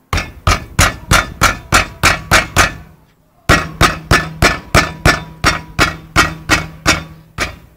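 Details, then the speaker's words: Car driving over cobblestones: sharp metallic knocks, about three a second, from the brake pad rattling in a worn brake caliper; caliper wear, annoying noise that feels like the suspension dropping. "É da pastilha de freio batendo na pinça de freio. Fica esse barulhinho chato quando passa em calçamento, tá?"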